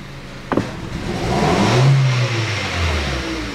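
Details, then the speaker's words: 2012 Hyundai Solaris 1.6 automatic, front-wheel drive, about 108,000 km; idle revs hunt and a sharp throttle blip bogs and stumbles before revs climb unevenly; rich fuel smell, misfire suspected from a coil or spark plug; hesitation on throttle. "да все начали плавать обороты чек не светится резко даю газу провал"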